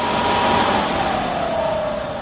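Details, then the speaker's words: Diesel heater that had been working the day before, throwing error E-06 (fan not turning or no fan signal): fan whine rises then sags with no burner roar, and the glow plug never heats because the controller can't detect fan speed. "Now, the one thing that I'm noticing is the glow plug isn't coming out. It's not trying to warm up. So, what it's doing or not doing is it can't detect that speed to say that the fan's actually running."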